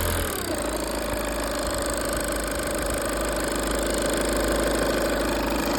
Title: 2.0 tdi CR ticking noise #enginefailure #tdi #audi